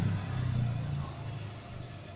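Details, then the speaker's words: Electric motor (dinamo) after replacing its rear bearing: steady, smooth, even hum with no wobble or rattle, smooth rotation and little vibration. "Tidak ada goyangan, jalan putarannya jadi halus, terus getarannya sedikit sob."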